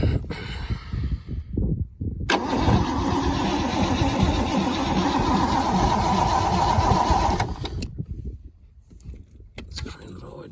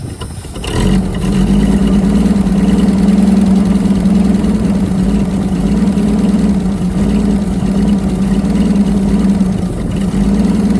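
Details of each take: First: Holden FC Grey Motor, first start attempt in 50 years, hot-wired coil with sparks, fuel plumbed but possibly not picking up: about five seconds of steady starter churning at roughly three turns a second with no firing; cranks but won't start. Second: Holden FC Grey Motor six, first start in 50 years: starts promptly and settles into an even, steady idle on all six cylinders with no misses or knocks; running healthy.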